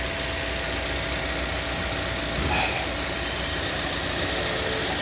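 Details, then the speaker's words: Toyota Sienta, listened to at the front of the engine while revving after the water pump was replaced: smooth, even idle with no rough grinding or bearing growl; the rough noise from the water pump is gone. "ya untuk suara mesin sudah hilang setelah dilakukan penggantian unit water pump dengarkan di bagian mesin depan"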